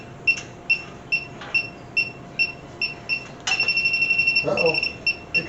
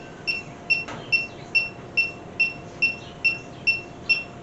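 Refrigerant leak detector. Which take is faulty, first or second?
first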